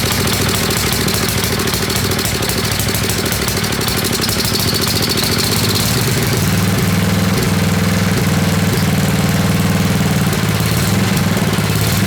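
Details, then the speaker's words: Old Craftsman 10hp Tecumseh riding mower, water-damaged engine just rebuilt, cold run-in with hand-fed fuel and no proper tank: single cylinder thumping unevenly around idle, stumbling beats; running rough while cold, cause unconfirmed. "we need to get heat into the motor so we need to really even if it's running like crap it seems to be suck and Fuel"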